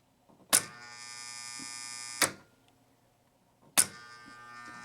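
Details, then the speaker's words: Gottlieb 1974 Big Shot pinball machine after cleaning and adjusting a coil: sharp clack then steady high buzz over a second, repeated; return spring pulls too hard. "All right, I extended the spring a little bit. You can't tell. I didn't go crazy with it. But it was pulling a little too hard, people."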